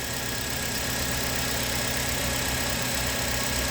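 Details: Nissan Sentra, high mileage, idling: busy buzzing rattle from the out-of-spec spring-loaded belt tensioner vibrating at the front of the engine, heard with a stethoscope; tensioner to be replaced, pump too.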